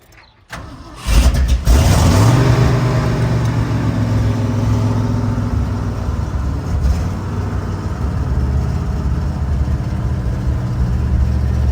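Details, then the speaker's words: Engine after rebuilding its Edelbrock AVS2 carburetor: cranks briefly, catches cleanly and settles into a steady, even low idle with no misses; starts and runs properly, still needing adjustments. "yeah I guess it serves well that have a clean carburetor awesome we're going to have to make some adjustments but at least we're back in a good spot"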